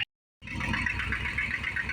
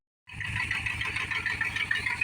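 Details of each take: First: 1975 Dodge Power Wagon 318 V8 idling soft, even and quiet just after a cold winter start, little valvetrain noise; running super rich with the choke on, oil smells of gas so the mixture is probably off, and a manifold bolt missing. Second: Dodge Power Wagon just started cold in winter, choke on and running rich: fast, sharp ticking puffs with a hiss over a soft idle from an exhaust manifold leak where a manifold bolt is missing.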